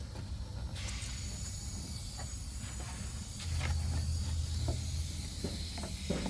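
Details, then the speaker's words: 1985 Camaro Z28 AC system charged to about 30–40 psi on the low-pressure side: steady sharp hiss of escaping refrigerant at a hose fitting, audible and felt; leak found, Teflon tape planned and Schrader valve checked. "And we have a leak here. I can feel it."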